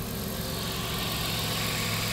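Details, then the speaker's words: 1997 Dodge Caravan LE, about 238,086 miles, idling after replacing water pump, tensioner and idler pulleys: smooth even idle, no squeal, chirp or rattle from the belt side; quiet, healthy. "oh now it's nice and quiet"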